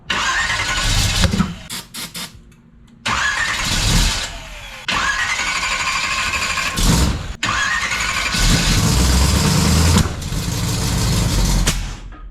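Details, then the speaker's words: Split-bumper converted Camaro build: repeated long cranking bursts with brief stumbling catches, then a sharp backfire bang; hard start with backfire, owner suspects timing is off. "Why are you backfiring the car, you little bitch?"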